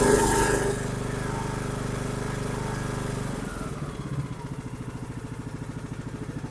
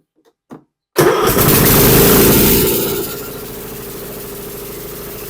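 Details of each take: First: Troy-Bilt Pony 42X riding mower, after fitting the correct carburetor and linkage: runs smooth and even at steady speed, then shuts down cleanly; fixed. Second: Troy-Bilt Pony 42X riding mower with a Chinese 547cc engine: it catches with a burst, then sags to a weak, uneven run that never picks up. The throttle does nothing and it acts like it is choking out, caused by a bent carburetor throttle linkage.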